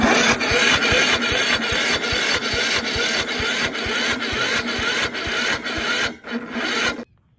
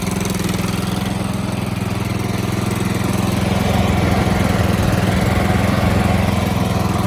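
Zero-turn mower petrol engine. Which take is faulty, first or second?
first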